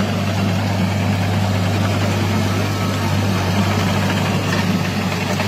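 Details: Derette XC1100 tracked loader before the fix, test-driven on concrete: heavy steady low drone with shaking buzz as track resonance shakes the machine, known to damage the engine hood lock.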